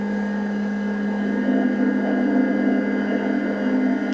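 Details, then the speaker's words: Wash 3 Ultra wash station after leak repair, mic held to the pump during a wash cycle: steady low electric hum with no gurgle; pump runs but will not pull liquid from the full tanks. "so that's all it will do it will not pull water um from the tanks which are full"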